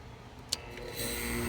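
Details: 1977 Kenmore (Whirlpool) 6000 BTU window air conditioner with reciprocating compressor: a click, then low steady hum with soft hiss as the compressor starts; normal, though not typical reciprocating-compressor sound.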